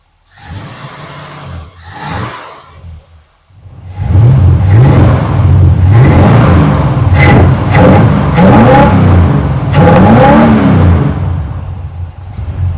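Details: 1947 Ford street rod with a carburetor that once whistled on throttle, hot day, choke opening: clean throttle blips rising and falling with even firing and no miss. Revs freely and healthy.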